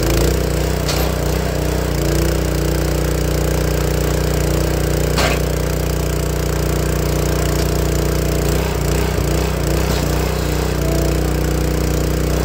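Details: Honda GX160 log splitter engine after replacing the failing spark plug that caused popping when warm: steady, even run at constant speed with no popping, coughing or misfires; sounds healthy.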